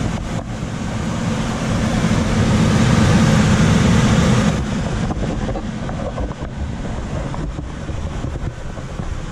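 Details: Coleman DGAX056BDTA manufactured-home furnace, constant-torque ECM blower with 24-volt taps set to high: loud rushing air roar swells a few seconds then eases to lower hum when main blower runs; excessive blower noise from high speed tap, fix is lowering the speed.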